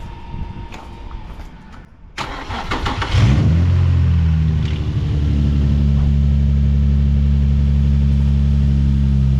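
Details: Car with a flat battery, left connected while parked, jump-started with an AUXITO T5 jump starter at 69% charge: about a second of cranking, then the engine fires and settles into a steady, even idle; normal start.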